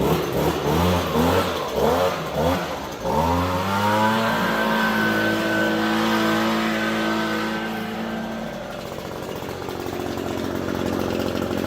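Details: Echo PB-250 two-stroke leaf blower with new replacement carburetor, warming up: revs unevenly for a few seconds, then settles into a steady drone; normal warm-up running.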